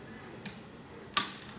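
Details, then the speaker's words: Techrite ignition module on a power source with reversed polarity (active and neutral swapped): after the combustion fan and pressure switch, sharp spark snaps keep repeating because the flame isn't sensed, sparking for the 5-second spark time before lockout. "tries to spark but you'll notice it keeps sparking it's not it doesn't realize the flame is there so it'll keep sparking for the spark time on this particular modulus five seconds"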